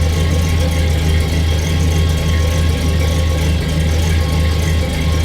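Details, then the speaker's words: 1966 Chevrolet Impala, rebuilt engine possibly with a junkyard 6-litre cam, bigger injectors and truck headers, restarted after sitting since 2018: deep V8 idle about 850 rpm with a slight lope, owner suspects bad gas; lumpy idle. "Sitting here idling about 850. You can hear it's got a little lope, and that's probably bad gas."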